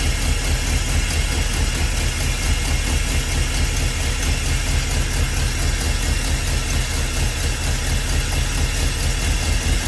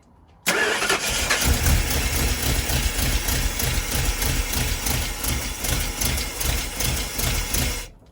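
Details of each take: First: Big-block Ford 400 V8 swapped into a 1977 school bus, first start, timing advanced from too-low idle: steady, even idle with deep smooth lope, no misses, pops or knocks; normal idle. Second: Big-block Ford V8 swapped into a 1977 school bus, at first start: it catches and settles into a slow, lumpy, uneven idle with loping pulses, too low; the owner suspects the ignition timing is off and advances it.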